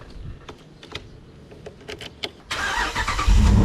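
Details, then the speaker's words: Jeep Wrangler JK with Hemi V8 and a newly replaced starter: a few quick cranking turns, then it catches promptly and settles into a strong, steady idle; starting is fixed. "Oh, yeah. She is back in business, boys."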